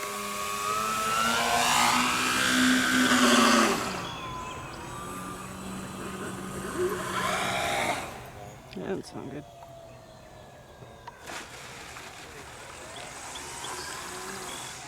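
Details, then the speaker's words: Flex Twin Otter 80E RC plane with a Penza brushless motor: a harsh, wavering whine surging up and down in pitch with a rough buzz underneath, recorded as the motor ran badly just before it failed. "listen to how awful my motor sounded until it just failed in the"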